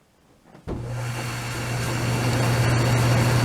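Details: DE-N35FY clothes dryer after a fix for a bad abnormal noise: belt replaced, disassembled, cleaned and oiled. Kicks on sharply, then holds a smooth, steady low hum with no squeal or scraping; running normally.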